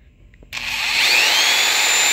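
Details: TataLiken inverter at higher input voltage starting a 7.5 A, 900 W power tool with a large surge: quiet, then motor spins up fast to a steady high whine and keeps running; inverter handles the startup surge.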